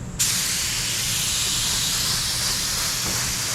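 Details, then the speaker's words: DeVilbiss FLG4 paint spray gun: hissing, pulsating spray; owner suspects paint too thick, adding reducer didn't fix it, then spitting badly; cause unsure, maybe a clog. "Oh, I don't like that. Hear the gun hissing? Yeah. I don't know what's up with that. It's spraying okay, it's just like it's pulsating."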